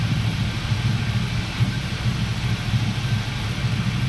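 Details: 400 SS V8 at idle: deep idle with an uneven, stumbling beat from a deliberately induced misfire on one cylinder.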